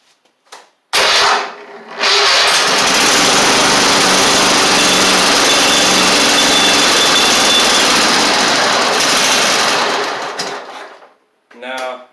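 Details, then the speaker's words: Toro Z2550 zero-turn twin, formerly seized engine, apparently both cylinders firing: catches, runs rough and loud about eight seconds, then dies; carburetor issues suspected, carb clean needed. "we're able to confirm that it did that it will run briefly uh seems like we've got carb carb issues still"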